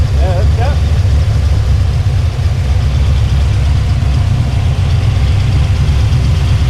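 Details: El Camino after a tuning session, restarted and left running: smooth, low, unchanging idle without misses, rattles or squeals; well tuned and healthy.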